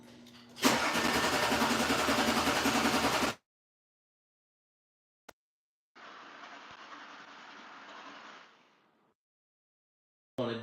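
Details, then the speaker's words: Audi cranking with trouble code pending and fuses checked: starter churns evenly about three and a half turns a second over two tries but the engine never catches; cranks, no start, cause unknown (owner suspects relays). "all right sounds like it was about to turn over"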